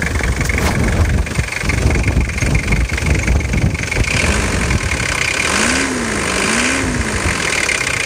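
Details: Nissan TD27T diesel after injection pump repair (plunger pair, seal, vane pump and rebuild kit replaced): idles roughly with a loud, uneven metallic clatter; a new knock whose cause is unclear.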